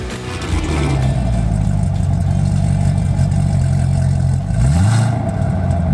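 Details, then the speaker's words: Chevrolet Corvette C7 Stingray after a bolt-on valved aftermarket exhaust with muffler replaced the cut-up straight-piped system: deep, even V8 rumble swelling on throttle blips and settling smoothly, a healthy exhaust note. "And since it comes through a finely tuned Muffler it sounds good no matter what mod you're in"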